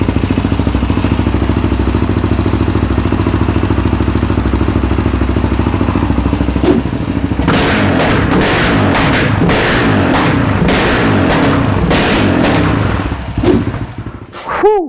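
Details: Yamaha Raptor 700R after engine rebuild, first start with FMF pipe: loud single-cylinder thumping at idle, then sharp irregular cracks and pops as throttle is blipped, backfiring and shooting flames; stalled on first throttle; programmer planned.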